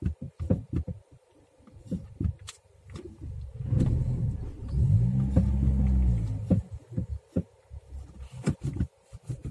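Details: Skoda Rapid with newly fitted non-original front brake pads: low clunks and knocks when braking while reversing slowly, none braking forward; pad ears differ from originals and shift in the caliper slots.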